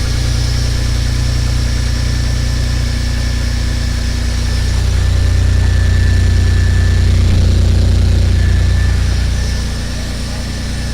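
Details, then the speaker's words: Subaru, restarted after the cylinders were fogged with fogging oil: a steady, rapid knock of about four per second rides over a rough idle, and those present call it bad rod knock. "But it's That was rod knock. that was really straight up bad. rod knock, dude."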